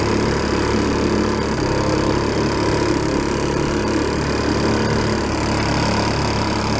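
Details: 1937 Sears Water Witch 2.5hp outboard, 83 years old, revived after about 60 years in a shed: steady, unbroken buzzing drone under load, no surging, misfires or rattles, getting warm; normal running.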